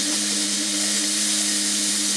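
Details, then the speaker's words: Restored 1960s Faema Faemina lever espresso machine, warmed up, boiler pressure regulator set at about 1 bar: loud, steady, high hiss of strong, even steam from the wand. Normal. "And we do have plenty of steam."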